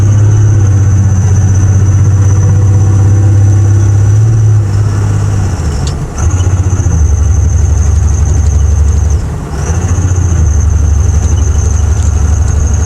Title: 01 5.9 Cummins Misfire